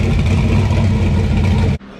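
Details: LQ9 V8 with Texas Speed Magic Stick 4 cam on a run stand, Holley Terminator X base tune, first start, running a little rich; one-chamber Flowmasters fitted. Deep, even idle burble, no knocks or misses: normal idle.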